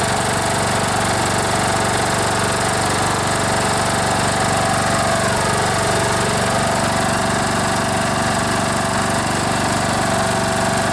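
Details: Troy-Bilt Bronco riding mower, Kohler Courage 18 single-cylinder, after carburetor rebuild for gas leak and gas in oil: loud steady thump holding even speed with no misses or surging; engine runs smoothly, no fuel leaking.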